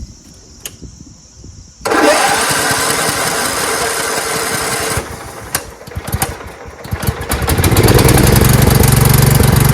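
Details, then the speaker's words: Carbureted engine that was flooding, fuel shooting out the muffler, needle suspected not seating; idle screw set to full throttle so it runs one speed with no idle; fires and runs fast and loud, picking up harder near the end. "when I start this up it's going to be at Full Throttle because it was SE ing so much that I had to adjust the idle screw to be at Full Throttle and it was running great but there is no idle you can't lower it it's one speed"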